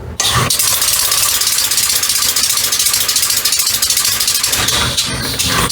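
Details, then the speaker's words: Homemade compressed-air bicycle-assist motor after its cam timing was rechecked, now under pressure all the time. Fast, regular piston clacking with a brief stumble near the end, a possible slight dead spot the owner doesn't expect to matter. "And it, well, it might be a little bit dead spot in that one, but when you're riding the bicycle, you're either pedaling or it's running. So that's not going to be a problem, I don't think."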